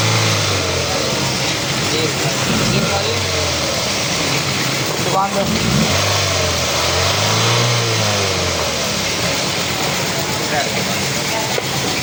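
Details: Toyota XLI engine revving up and settling back twice, smooth and even with no knock or rattle; sounds healthy, heard during a job fixing a loud engine sound traced to a faulty manifold that was replaced.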